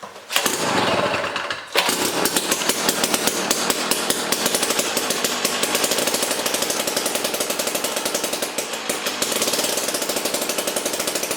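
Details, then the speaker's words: Jiffy Stealth STX 10-inch ice auger, 3 hp Tecumseh two-stroke, on old gas of unknown age, full choke: ragged popping crackle that never smooths out, very smoky; rough running, cause unconfirmed. "yeah it's smoky okay so that was on uh full choke i'm probably going to go through this thing definitely smoky very smoky"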